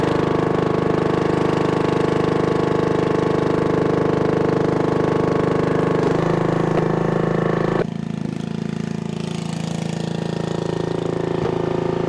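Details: 1996 Brave log splitter, about 30 years old, revived after its engine had seemed to seize; splitting wood on a cold, windy day, the single-cylinder engine runs steady, dipping briefly under load and recovering smoothly; healthy.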